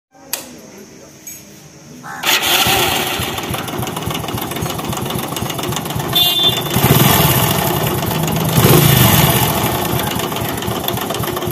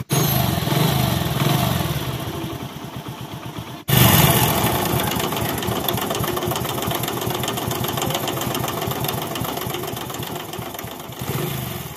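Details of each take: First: Hero HF Deluxe/Passion Pro bike: engine catches after two seconds, busy idle with light rapid clatter; timing chain found tight yet engine still noisy, so pump support underneath to be opened; chain replacement planned. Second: Hero HF Deluxe/Passion Pro small single after a timing chain replacement; starts on the second try and settles into a steady, even putter with no chain rattle or ticking. Normal, healthy idle after the repair.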